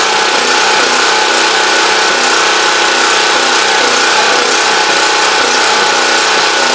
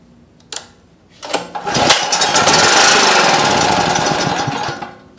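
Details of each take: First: Champion Dual Fuel 3500 W generator after carburetor cleaning fixed a no-start, started on full choke; steady, busy mid-pitched drone with no surging or stumbling, called a success though unsure if slightly rough, as it always sounds. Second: Champion Dual Fuel 3500 W generator with no-start, primed with 50:1 gas squirted into the intake; cranks, catches, runs rough about three seconds then dies, fuel-starved because the carburetor is completely obstructed and needs cleaning.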